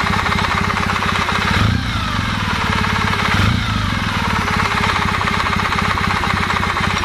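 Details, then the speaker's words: Kawasaki W650 twin idling and blipped after adjusting camshaft gear mesh: even firing with only a faint remaining tick; the cam gear knock is reduced, the rest attributed to part wear. "что стукнуло уменьшился он остался но то что осталось она ласково из-за износа деталей"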